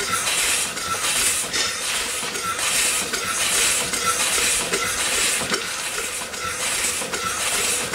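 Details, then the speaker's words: Upright steam engine that sat for years, rebuilt and test-run at only about 30 psi boiler pressure. Even chuffs about 75 a minute with constant hiss between beats: steam escaping past the valve rod packing. "folks besides my leak around that rod it's actually doing really good we will be fixing it now"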